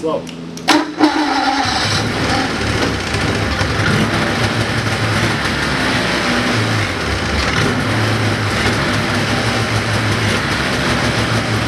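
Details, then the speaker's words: 1980 Ski-Doo Everest 500 fan-cooled two-stroke snowmobile, bottle-fed; quick start, then steady busy buzz at even speed without misses, knocks or rattles. Sounds healthy, so owner thinks the earlier compression reading was probably wrong. "so i'm gonna go on a limb and say that compression reading was probably wrong um i think sounds pretty good actually i mean it sounds healthy"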